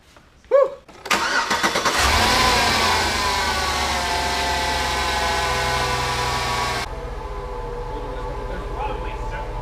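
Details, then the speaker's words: V8 donor engine for a Jeep truck swap, after a misfire on the driver-side bank: spark plugs and wires replaced, then the O2 sensor replaced; the starter cranks briefly and the engine settles into a steady, even idle with no stumble, running smoothly. "well look it's running better you are right it is running better running wait it's not like there's no error codes let's drive it here"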